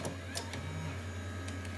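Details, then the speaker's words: Repaired Apple floppy drive installed in a Macintosh Quadra 700, ejecting the MacOS install disk: short even motor whir and soft mechanical click over a low steady hum; ejects cleanly, drive now functional. "voila, it did eject the floppy disk So we can now consider this floppy disk drive functional"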